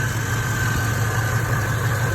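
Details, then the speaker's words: LS-swapped G-body Monte Carlo idling after a crank-no-start was traced to the fuel pump relay and fixed: smooth, even low idle with a steady hum, no misses or knocks. "now she's running and that's how I diagnosed my fuel my fuel relay problem"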